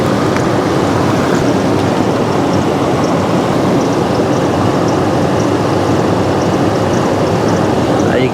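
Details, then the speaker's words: 2004 Toyota Tundra running after jump start, battery tests bad: steady engine with no whine or squeal; alternator putting out about 14 volts, charging system normal. "the alternator is working fine putting out about 14 volts charging system in the truck seems to be working fine and alternator's not screaming or anything so we'll let this run for a minute"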